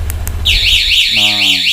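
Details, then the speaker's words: 9Nine A1 motorcycle alarm with 5-pin relay installed on a 2020 Honda Beat, remote-triggered anti-robbery mode: a couple of short chirps then a loud warbling siren sweeping up and down continuously, silenced by remote button; anti-robbery alarm siren. "alarm bunyi Anda bisa mencari pertolongan dan menghilangkan bunyi alarmnya tekan tombol ini gitu"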